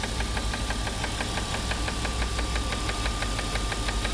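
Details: 1994 BMW 325is (E36), no engine codes, started after a long 135+ mph run: fast sharp ticking about three per second over a slightly rough idle that smooths out above idle; valvetrain-type tick, cause unconfirmed.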